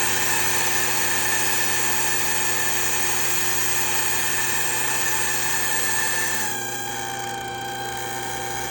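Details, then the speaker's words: Refrigerant recovery machine running on a 2005 Toyota Corolla before replacing a failing A/C compressor bearing: steady, even run with a thin high whine over the motor note, no knocking or grinding; slightly whiny but okay. "She's a little whiny, but that's okay."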